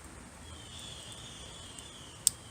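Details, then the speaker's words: Handgun function check: the trigger is held back while the slide is cycled, then released, giving one crisp metallic click. This shows the trigger resets and the sear is working properly. "hear that click when that click goes off we know that this firearm is functioning properly the sear is working properly"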